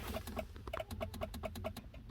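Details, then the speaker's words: BMW E90 335i with a nearly dead battery that the charger isn't charging: rapid, sharp relay clicks, about four a second, chatter steadily from the glove box area with the engine off. The clicking is from low battery. "the interior is going kind of nuts so I'll show you what the interior looks or sounds like you can hear a bunch of relays clicking I'm hearing clicks from the glove box"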